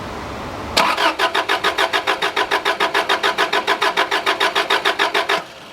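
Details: Subaru RS Liberty AWD turbo manual, parked for 10 years, with fresh fuel added (a quarter tank) and the fuel pump heard priming. The starter churns steadily for several seconds but the engine never catches. Cranks without starting; fuel delivery suspected.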